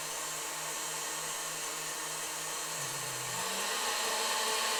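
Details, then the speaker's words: Vintage KitchenAid 3B tilt-head stand mixer after cleaning and all-new grease: smooth steady motor hum rising in pitch as speed is raised, no grinding or knocking; runs healthy. "These actually have a nice sound to them. I believe that they were built better than the current models."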